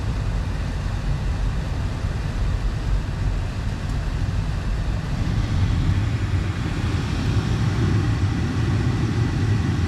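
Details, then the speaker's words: 2014 Audi A4 after replacing the loud failing blower motor: steady, even low hum of the cabin fan with no loud drone, much quieter even at lower speeds; blower running normally. "All right, that is much much quieter even at lower speeds."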